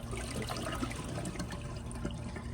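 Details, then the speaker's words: Glacier Bay PowerFlush toilet, tank being emptied: thin quiet trickle and gurgle instead of a strong rush; not enough tank water, weak flush. "and obviously there was not uh enough water to flush it properly"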